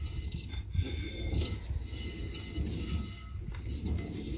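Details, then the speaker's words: Worn trailer wheel bearing, hub spun by hand: low, gritty rumble with uneven bumps, a friction noise also heard when driving; the hub has blown off its cap twice, so the bearings are being replaced. "Do you hear that friction noise? I hear it when I'm driving. It's also blown off a cap multiple times, twice now. So, that is why we are replacing the bearings."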